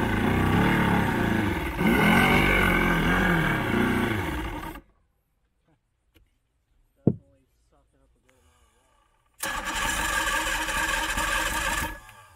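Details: Old 90hp Johnson outboard on a 1987 Crestliner, sat about a year, fresh plugs, primed with starting spray: catches briefly, stumbles out, fires again after a pause; hard starting needing assist, carbs and fuel lines to be cleaned.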